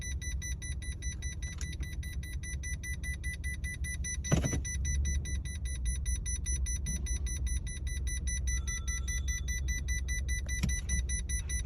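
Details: Toyota Camry AXVH71L petrol engine idling with a low, uneven throb and shake from a misfire, with a check engine light; fixes applied were new spark plugs and cleaned injectors and throttle body.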